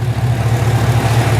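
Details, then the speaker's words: 2011 Chevrolet Camaro SS 6.2 LS3 with long-tube headers and straight exhaust, started after charging dead battery: deep steady idle, no previous noise or shake, oil pressure 30 at idle; healthy. "it's alive and no more noise so that was uh definitely the problem and it also had before it always had kind of a little shake to it that's now gone so yep yep sounds good"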